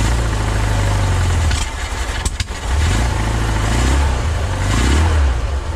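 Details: 1976 VW Westfalia Bus, Type 4 air-cooled flat-four, after the voltage regulator was replaced on a charging system that had not charged for a long time: a deep, steady, even idle with no misses. The charging system now works.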